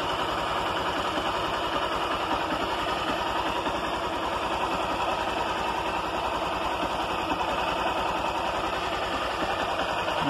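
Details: Honda Titan 160 motorcycle after replacing the timing (cam) chain: the engine idles smoothly with a steady, even beat and no top-end rattle. Before the repair the chain rattled loudly, and no engine rebuild was needed.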